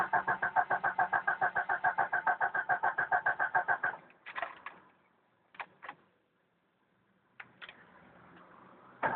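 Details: 1992 Jeep Cherokee petrol 6-cylinder, first start of day, about 24-26°C: starter cranks steadily about three and a half turns a second for four seconds, then short tries, never catching; hard starting, cranks but won't start.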